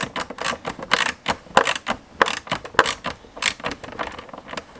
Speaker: whereas if we watch this one if we try to bring this one where you at this one out you can watch and it will actually move well that's moving in if we move it out it'll actually start coming